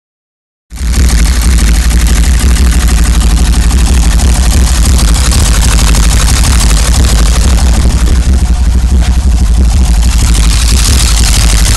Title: 1990 BMW 525i misfire and rough run